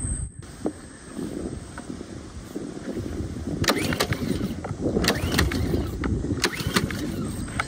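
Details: Ryobi gas pressure washer with a Honda engine, used once and left sitting with old gas: drained, a little fresh fuel added, fuel on, choke set. Repeated pull-start whirs and snaps, but it never catches; it cranks without starting.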